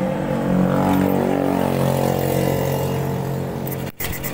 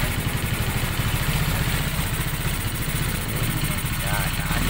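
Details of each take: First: Honda Beat fuel-injected scooter, wiring to injector and TPS sensor tested with continuity intact; hard to start, then labours with a ragged misfiring beat and cuts out, no check-engine light. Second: Raider Fi motorcycle started after a throttle cleaning, with the oil cap open to check oil splash: a steady, even, low putter with no knocks or ticks; normal running.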